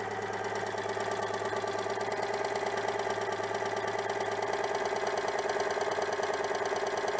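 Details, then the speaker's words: Citroën 2CV with an ignition problem, now running despite slightly worn contact breaker points: an even, steady flat-twin idle with no misfires confirms the fault was ignition; it previously stumbled at higher revs on the road. "bon bah écoute et malgré que le rupteur soit un peu hs et tourne donc c'était bien un problème d'allumage"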